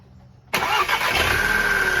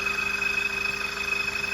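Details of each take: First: VW Jetta TSI after replacing a blown 5 A fuse that caused a metal-on-metal engine noise: the engine cranks, catches at once and settles into a smooth, even idle with no knocks or misses; a normal start after the fix. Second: VW Jetta TSI at idle: fast, even metallic "iron on iron" chatter with a thin high ring. Caused by a blown 5 amp fuse in the fuse box, which was replaced to fix it.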